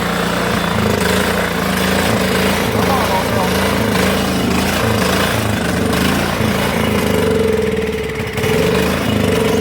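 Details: Cub Cadet HDS mower, small single-cylinder engine after carburetor cleaning, bad gas burning: ragged uneven beat with speed dips, running on its own poorly but it drove; rough running, bad fuel suspected.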